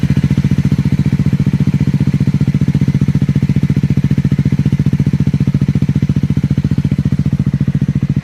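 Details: Triumph Scrambler 400 X cold start: a fast, even clatter pulses with every firing stroke of the single idling; abnormal mechanical engine noise at startup.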